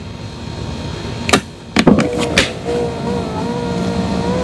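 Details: 2016 Kia Optima right front power window after replacing a stripped-pulley regulator with an aftermarket assembly: a couple of clunks, then a steady even motor hum as the glass travels; window motor and regulator working normally.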